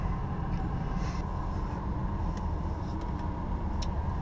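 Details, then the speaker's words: 2002 Chevy Impala V6 police clone, ex-fleet car, 200,245 miles, idling with AC being switched on: steady low idle rumble, faint extra hum of AC load, no knocks or misses; idle very smooth, engine healthy. "runs great idle's very smooth the ac is extremely cold which i'm turning on right now"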